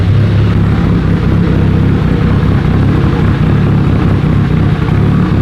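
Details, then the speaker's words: Mitsubishi Evo with turbo kit, new drive-by-wire throttle replacing a junk idle air control valve that caused repeated start-and-die: starts easily, steady even low rumble settles into a smooth stable idle without hunting; normal idle. "Do you hear how much easier this thing starts? Before it would start and die like 800 times because the IACV, the idle air control valve, was junk."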